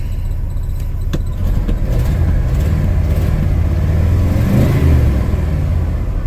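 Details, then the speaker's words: Old truck with a chronic fuel issue, running: uneven, slightly lumpy note wavering as it revs, feels like it is missing; owner suspects it needs new spark plugs. "So, it's running a little bit rough. I think it probably needs new plugs."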